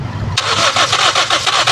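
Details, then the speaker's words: Toyota Vios that died while driving, fuel pump assembly already replaced: starter cranks evenly about seven to eight turns a second, never catches; fuel line at engine gives only weak flow, pump delivery too low. "Ah merong nalabas oh. Sige isa pa. Op. Pero parang mahina eh. Ayan mahina."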